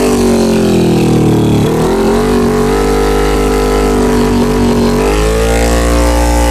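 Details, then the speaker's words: 2000 Honda CBR600 carbureted, revs held near 1500 rpm sag and hunt unevenly, stalling below that with poor throttle response; spraying carb cleaner showed leaking intake boots, a vacuum leak, before replacing them. "r looks like the boots are all leaking and here where the carburetor is or the airbox just this one the rest those to be okay"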